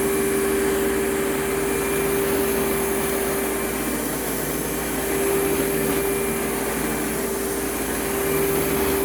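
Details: Advance Spectrum 12P vacuum, thrift-store find repaired: steady mid-pitched whine over the motor's airflow roar, unchanging; owner suspects the clutch assembly rather than motor bearings. Unconfirmed.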